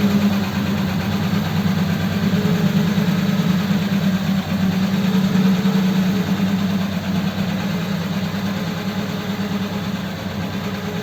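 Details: Richard's Holley 94 carb on another truck, started with the choke worked under the bonnet, before a road test: smooth, even low idle at about three beats a second with no stumble or miss.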